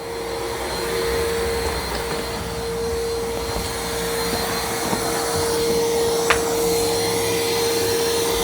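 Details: New iRobot Roomba Plus 515 vacuum-mop combo resuming cleaning after returning from the dock, with freshly wetted mop pads, during an obstacle-avoidance check: smooth constant mid-pitched suction-fan whir, only light knocks as it moves; normal.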